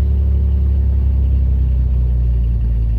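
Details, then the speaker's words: 1994 GMC Jimmy 4.3 V6 CPI, 191,000 miles, first start after new idle air control valve, TPS, MAP sensor, EGR valve, coil, wires and spider, battery reset: deep, steady smooth idle, no knocks or misses; idling up, which it didn't before. "Didn't used to do that before. It's probably going to run rough for a little bit because I've cleaned and changed so much stuff"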